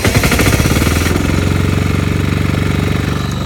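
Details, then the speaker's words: MEP831A 3 kW military diesel generator with preheater and fuel pump, started outdoors at low load on a quarter tank: catches at once, steady even chugging, runs nice, producing 240 volts. "Starts right up, runs nice."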